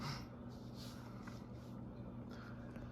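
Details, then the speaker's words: ConTech CT56 56-inch industrial ceiling fan, dated 06-1993, rated 76 W, running at about medium speed: steady low motor hum with a faint scratchy roughness on top; the fan's bearings are badly worn. "so right about now you can actually hear the bearings in the fan the bearings on this fan are pretty bad"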